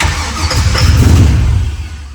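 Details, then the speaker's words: LS-swapped engine no-start, no injector pulse and no oil pressure seen yet, given a small shot of starting fluid while cranking: short cranking burst swells briefly then fades without running; no injector pulse. "So we kind of got it sorted down to we don't have an injector pulse right now. We're not sure what is going on with that, but Scott's just giving her a little huff of starting fluid just to see if we can hear it kick off."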